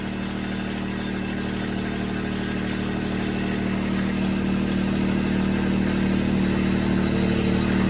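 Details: Toro TX1000 compact loader, started from cold on low idle during a no-drive overhaul with tandem pump repair: the even diesel idle deepens and grows slightly louder as the track drive engages, so the hydrostatic pump is taking load properly.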